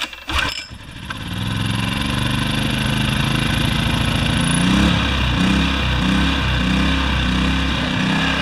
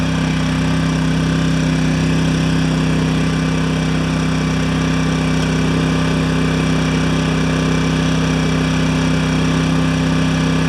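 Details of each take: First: Yamaha generator with Mikuni carburetor, after carb cleaning and float/emulsion tube refit, before jets were reamed: pull-started small engine runs but its note keeps pulsing up and down instead of holding steady; surging from a remaining carburetor fault. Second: Yamaha 1000 W generator after reaming out the carburetor jets to cure idle surging and fitting new gaskets: steady even drone at maximum load with no hunting or surging; runs smooth and settled.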